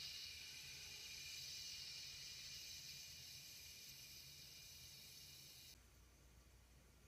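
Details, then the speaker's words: American dual-flush toilet whose parts were likely degraded by chlorine tablets. A faint, continuous high siphoning hiss of running water, then it stops. A dye test showed the leak is past the flush valve seal. "it's the siphoning noise I'm hearing that has me concerned but don't see water moving in this case"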